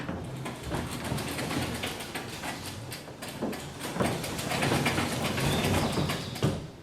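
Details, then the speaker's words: Garage door after maintenance and spring-pulley lubrication: steady rolling rumble with light, even roller ticks about four a second as it lowers, with no grinding or binding. It runs smoothly. "all right so now that door sounded really good so we'll go ahead and we'll lower it back down"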